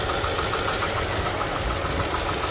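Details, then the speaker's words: A 2018 Mercedes-Benz A200 (W176) with 160,000 miles idles with a light, regular ticking knock over the engine hum; source uncertain. It is jerky going into reverse, and coolant is leaking. Engine knocking at idle. "I don't know if you can hear the knocking sound doesn't sound very good"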